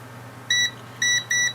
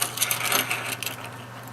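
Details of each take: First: Three clean high continuity beeps, each about a sixth of a second, as the button is pressed on a Jaguar S-Type (X202) remote key fob whose click keys felt dead; the meter shows the fob switch closing properly. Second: Key fob from a Jaguar S-Type 4.2 V8 that won't lock or unlock the car properly, opened up for a switch test: multimeter in continuity mode gives a clean, steady high beep under a second amid handling clicks, showing the circuit conducts.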